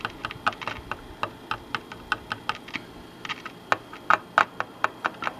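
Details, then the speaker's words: Zenith A-411-A radio under repair, C404 replaced, problem traced to final audio stage: irregular sharp pops and crackles over faint hiss returning; Q402 final audio transistor suspected, not confirmed. "As you can hear, the noise is, let me get up here where I'm looking at. The noise is kind of coming back."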